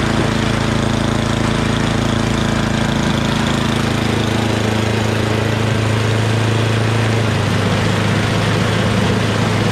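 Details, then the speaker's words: MTD Yardman 8.5 HP 26-inch two-stage snowblower single-cylinder engine idling smoothly with a steady, even putter after carburetor cleaning; clogged pilot jet was the cause. "and that's idle that sounds really good so obviously that's what it was pilot jet"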